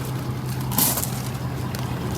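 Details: Ford 6.7 Powerstroke diesel after an oil and fuel filter service and fuel system bleed, idling while checked for leaks: deep, steady rumble with an even low drone and no misses or knocks; healthy idle.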